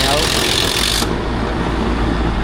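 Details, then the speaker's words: Package unit air conditioner after replacing a failed capacitor: a steady fan rush with the compressor running smoothly and no clicking or labouring, expelling the house's heat outside. Normal running. "ya entonces básicamente Aquí el problema era el eh Ya está eando también ya aire caliente ya buena seña ya el calor Ya el calor de la casa lo está expulsando por la parte afuera ya del exterior"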